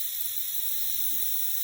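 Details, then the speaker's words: Radiator isolated and drained to fix a leak, now refilling: steady soft hiss of air being pushed out as water fills it, no gurgling or knocking; normal venting. "The air filling it back up, the air being pushed out as the water fills up the radiator again."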